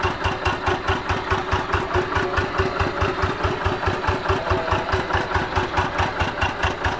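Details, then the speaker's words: Single-cylinder diesel tractor that had been smoky, weak and hard to start in the morning, after its worn plunger was replaced: slow, very even thump about two beats a second at low throttle, no stumbling. Healthy idle after repair. "ini sudah kita ganti ya sekarang ini di mana gas kecil aja sudah bisa nyala ya"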